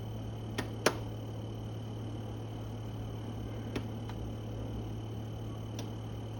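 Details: New Electrolux fridge with constant low hum, faint high whine and a few isolated ticks, audible from the next room; owner says compressor is too loud, after-sales calls it normal.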